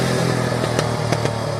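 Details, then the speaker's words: Yamaha Warrior 350 quad after carb jetting work, riding: sharp intermittent pops through the exhaust; owner suspects rich or lean mixture or the exhaust, not confirmed. "little backfire out of her today that could be rich or lean possibly one of the two or part of the exhaust uh doing that as well could play a part"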